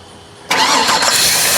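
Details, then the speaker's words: GM truck (Avalanche/Suburban/Tahoe type) at start-up: loud steady airy hiss drowning the engine from a huge vacuum leak where a cracked vacuum line piece popped off under the engine cover; covering it makes the engine run better. "you hear that there's a huge vacuum leak right there and a lot of times the engine won't even run right"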